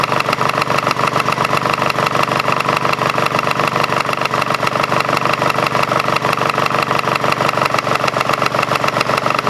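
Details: Craftsman GT5000 lawn tractor twin after woodruff key replacement, run without cooling fan and housing: loud, choppy firing, uneven beats about three a second over rattly clatter; rough running with vibration, cause unknown, owner doubts crankshaft or weight problem.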